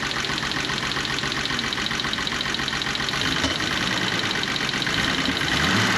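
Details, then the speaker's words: 1985 BMW E24 635CSi Euro spec, engine running poorly; idle with uneven lumpy beat and irregular stumbles, misfire suspected, diagnosed by pulling plug wires one by one (cylinders two and six showed no change): rough idle. "hmm sounds like i have a misfire so to diagnose it i'm gonna pull spark plug wires one by one to figure out which cylinders aren't firing"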